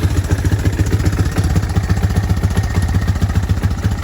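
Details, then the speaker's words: Honda Recon 250 ATV with choke fully off: uneven, loping single-cylinder idle and rough response to throttle, running very rich with black soot on the exhaust; carburetor suspected. "It does start up and run pretty good, but it's got a lumpy idle, and you can see all over the exhaust all black soot. So really rich."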